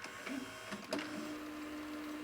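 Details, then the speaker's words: 1985 Magnavox VR8530SL01 (Panasonic-made) VHS VCR: rewind search gives a soft click then steady even hum winding strongly, with quiet braking solenoid; belts fine, normal. "See, it doesn't have any problem. If I go rewind search, nice and strong. Actually has a much quieter braking solenoid than the Sylvania version."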